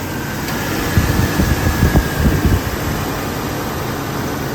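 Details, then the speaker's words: 2001 Jeep Cherokee XJ, 4.0L inline six, automatic, 73k miles: short burst of cranking, then catches into a steady, even idle with light fan hiss; runs great, good oil pressure, no overheating. "Motor runs great, oil pressure's good, no overheating."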